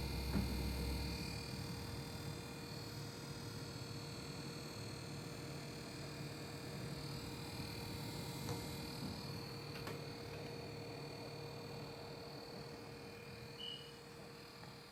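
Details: Cooler Master Seidon 120V ver. 2 liquid CPU cooler, about one day after installation: loud steady mid-pitched whine with thin high tones over low drone, pulsing about four per second; owner guesses it is broken, cause unknown.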